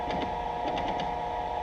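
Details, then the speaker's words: Cincinnati 205 milling machine, table X-axis power feed: steady motor whine with quick clicking catches; feed runs smoothly then stutters and stops, as if a gear is slipping; cause unclear. "what I'm going to do is move the table and the x-axis and that's what I'm talking about that noise that you hear and what it does is it makes us a stutter it'll actually stop and"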